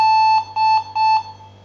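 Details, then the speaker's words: HP Pavilion DV6000 laptop at power-on, fan and battery removed, running on mains power: three steady high-pitched beeps in quick succession, no fan or drive noise; video failure beep code, suspected video chip losing contact from overheating. "So obviously we will hear the sound, this video sound."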